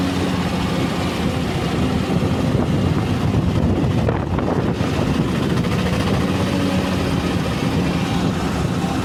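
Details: R480LC diesel at idle: heavy, slightly uneven, lumpy beat; one cylinder misfiring from a faulty injector or nozzle.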